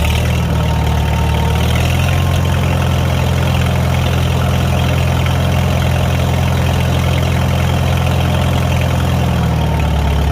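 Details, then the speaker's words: Farmall 300 Row Crop tractor after exhaust manifold replacement (the original had a rust hole), with the muffler refitted and throttle raised: deep, even, smooth unbroken rumble; normal running. "Like it. She sounds good."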